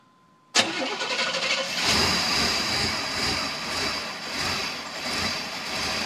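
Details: Chevrolet Suburban hard start after overheating, only on the first cold start; silence, then long cranking before a sudden hard burst into a rough, uneven run that steadies slowly, followed by a little backfire.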